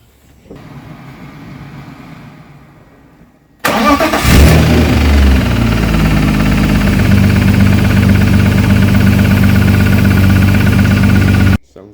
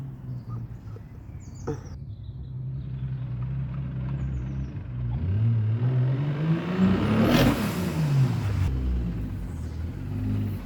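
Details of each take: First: Turbo BMW E36 M52B28, just mapped to 400bhp: cranks, fires and settles to a lumpy idle with a steady knock about three per second. Bottom-end knock suspected; engine to come out for inspection and new race bearings. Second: Turbo BMW E36 M52B28, 400bhp, just back from dyno mapping: the engine revs up cleanly and settles smooth with no knock or rattle. This is healthy running, recorded before the bottom-end knock later developed.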